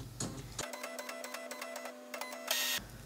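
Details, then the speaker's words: HP LaserJet M2727nf multifunction copier with scanner error 5, at power-on: steady low scanner motor hum with light regular ticking for about two seconds, then a short whir; it calibrates normally without the skipping sound. "mais là il ne fait absolument pas ce bruit ce bruit où on a l'impression qu'ils sautent quoi et là il est prêt donc là c'est fini"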